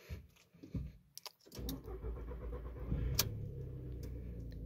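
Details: Volkswagen Jetta A4/MK4 with intermittent no-start, after fuel pump relay 409 clicked and ignition cycled to prime fuel pressure: keys jingle, short crank, then quiet steady idle without stumbling; normal start.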